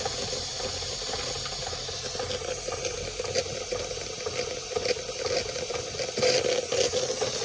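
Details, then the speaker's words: Märklin 16051 twin-cylinder model steam engine, still running in, original burner: steady hiss of escaping steam with light sputtering as the safety valve begins to lift before pressure reaches the red; normal. "You can hear the safety valve going. You'll see that safety valve is beginning to lift."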